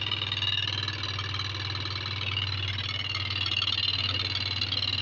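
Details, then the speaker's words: Yamaha Lexi 125 scooter, error code 61, after a new spark plug fixed the no-start: steady idle with a harsh, uneven tapping beat; engine runs but rough, teardown planned, cause not yet known. "ternyata ada di busi ketika businya saya ganti dia hidup walaupun gak normal ya suaranya kasar nanti ini kita lakukan turun mesin ya"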